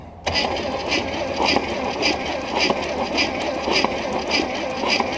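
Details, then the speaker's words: 1968 Buick Skylark 350 V8, abandoned about 40 years with a freed-up stuck motor, on a new battery: the starter grinds it over slowly, under two compression pulses a second, and it never catches. It cranks too slowly to start, though spark is present. "Well, we need it to crank faster than that. It'll never start."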